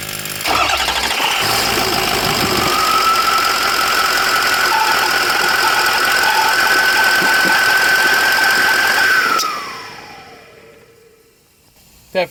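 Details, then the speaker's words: 2004 Ford F350 6.0L Power Stroke diesel after a Sinister Diesel adjustable fuel block (blue spring) upgrade; a coolant line is leaking. It catches quickly and settles to a smooth idle with a steady high turbo whistle, then shuts off cleanly. Healthy. "started it back up just to record that noise. Ain't nothing like a turbo. They sound amazing."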